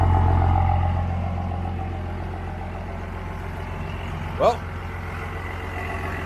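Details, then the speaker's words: 2005 Ford F350 King Ranch, 24V 5.9 Cummins diesel, odometer 199,549: steady, even idle with a deep, loud, open exhaust rumble and no knocks or misses; normal idle. "sounds like a nice straight pipe cummins honestly"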